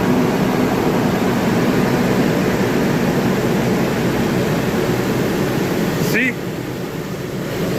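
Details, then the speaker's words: Nissan after fan clutch replacement, fan previously ran all the time like a tank: steady engine with heavy fan roar dropping off sharply after a few seconds as the clutch releases; normal fan clutch operation. "That's how it should be. Now it stopped. Before it would run all the time."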